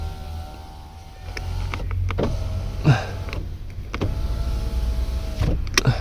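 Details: Power window on the M50B30 stroker compact: a smooth motor whirr running up and down in even strokes, stopping cleanly at each end. Normal window operation.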